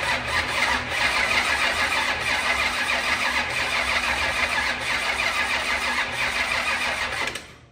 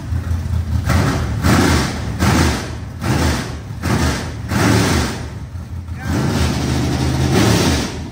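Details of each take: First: Rebuilt 25-year-old SBC 400 race engine: steady fast cranking, about three beats a second, that never catches despite fuel and fuel pressure; ignition timed 180 degrees out with the distributor wrong on the firing order. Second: Rebuilt 25-year-old SBC 400 small-block V8 race engine in a Chevelle, after fixing the timing: loud, deep rumble swelling and easing about once a second, firing evenly with no knocks or misses; healthy.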